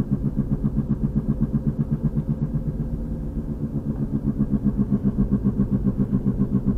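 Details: 2003 VW Passat FWD, 180,000 miles, driving; deep even front-end thump about four per second, faster with speed, louder when steering loads one side; passenger axle boot torn; rhythmic thumping, source unknown.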